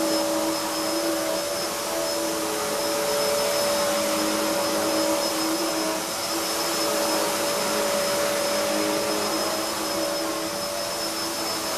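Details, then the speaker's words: Hoover upright vacuum cleaner with soft-start motor, running reclined: steady high-pitched motor whine with constant whoosh; normal running, but the thin brush roll is noticeably noisy. "it's not the quietest machine it's all right when you've got it standing up right but that brush roll as I say it's quite noisy"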